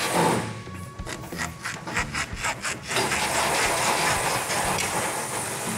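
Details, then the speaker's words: Dry, ungreased leaf spring shackle bushing on a 1971 Challenger during suspension assembly gives rhythmic dry rubbing squeaks, about two a second, as it is worked back and forth; no grease inside, which is why it's greased. "Dry as a bone. No reason for that, ever. And I don't know for sure if it was Royal or not, but it's very stupid not to do it, because when you go to take it apart, it's difficult to do. And if you put it together, this will squeak on that. That's why we grease it."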